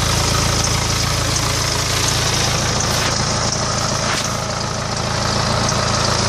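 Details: 2008 BMW E91 with N47D20 diesel, 200,000 km, idling with a quick, fairly even tick about three per second over the clatter; owner suspects timing chain, unconfirmed.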